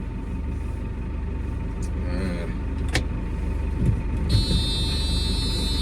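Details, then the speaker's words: Red tractor in cab, engine running, in gear with handbrake on: low engine rumble then a steady high-pitched cab warning buzzer that holds, sounding like an aircraft stall warning; in-gear/handbrake warning, not a fault. "This noise, very annoying, but it reminds me of the stall warning in the tractor, in the airplane. So in the airplane, if you're flying along and you hear this noise, you better do something pretty quick. In the tractor, it just means you're in gear but the handbrake's on."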